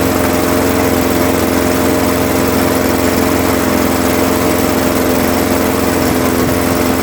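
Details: Craftsman 21-inch mower, 5.5 hp Honda GCV160, running to warm the oil before an oil change, after a smoky first start, until fuel runs out: steady, even single-cylinder drone, no misses, surging or knocking; healthy.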